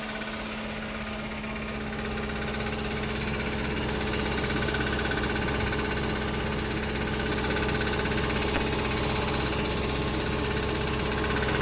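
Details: 2005 Audi B6 4.2L V8, 180,000 miles, cold start: quick metallic rattle under the engine, ticking with engine speed, gone after revving; failing starter return spring left the pinion hitting the flywheel, starter fixed it.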